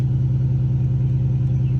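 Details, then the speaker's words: 2001 Cadillac DeVille just started, fast cold idle before EGR valve replacement: steady low hum with even drone as secondary air pump blows air in; normal, RPM drops once pump shuts off. "I don't know if you can hear it running but the air system is running throwing air into the uh intake"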